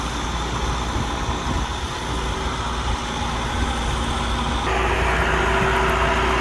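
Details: Overhauled Allis Chalmers 6080 tractor diesel mowing with a mower deck. A steady drone lifts slightly as load comes on, with no knocks or misses, and the engine pulls cleanly: normal running under load. The front wheel assist works.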